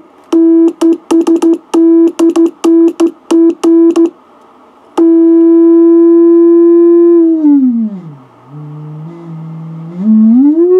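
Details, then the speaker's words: Heathkit VF-1 VFO converted to solid state, keyed into a receiver: keyed bursts of a pure, steady tone with no hum or warble, then a smooth held note while tuning; a clean, stable oscillator with less drift than the tube model. "Okay, I'm going to set up and key the thing so you can hear the pure tone. Alright, here's the tone of the transistorized model."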